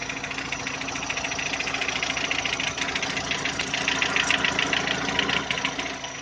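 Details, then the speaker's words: VW Touran 2010, 1.6 BSE engine rebuilt about 15,000 ago (oversize pistons, valves, hydraulic lifters), cold start after two days: quick even light knocking about three-four per second once idle drops below 1000 rpm, gone at higher revs, fades warm; cause unclear. "На высоких оборотах она не стучит. Греется. Обороты падают, и начинается стук."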